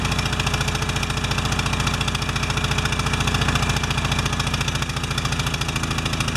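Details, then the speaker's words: Pressure washer small engine with automatic choke, after clogged bolt cleared, oil change and new air filter: fast, uneven, lumpy running around three pulses a second; choke slow to release on its own, bimetal strip later adjusted. "Okay. Now it should just start up. Come off choke on its own."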